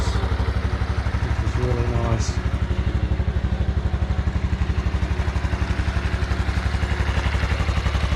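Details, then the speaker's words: Honda Super Cub NBC110 (Innova) after service with cam chain inspection, cleaned filters and 700 ml fresh oil, first start before refitting footpegs: steady putter about four beats a second, no rattles or tapping; healthy idle. "So before I put the foot pegs back on and the other bits and pieces, I'll just give it a start and see what it sounds like."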